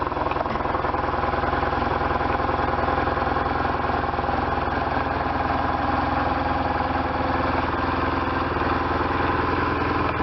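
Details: 1998 BMW R1100RT boxer twin, first start after restoration, before throttle body tuning: even, lumpy idle with regular beats about three to four per second, no misses or knocks; normal idle.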